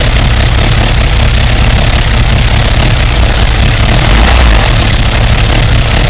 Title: Loud engine noise